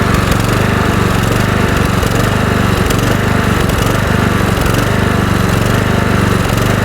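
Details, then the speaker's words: Kohler Courage 20 HP mower engine runs at a steady, even speed with no surging after the hidden carburetor mixture screw was slotted for a screwdriver and adjusted richer. The surging was suspected to be a lean mixture despite a cleaned carburetor. "Making the adjustment to the carburetor after making the modification did resolve the issue."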